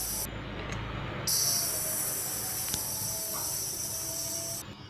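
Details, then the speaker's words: Old-style mobile phone charger on mains making a thin, high, steady whine with hiss that cuts in and out. The cause is a failing low-capacitance capacitor; replacing the 50 V 0.47 µF and 2.2 µF 50 V capacitors silenced it. "hello welcome to my new video today i will discuss sound problem mobile charger this charger can make horrible sound can you hear that stop"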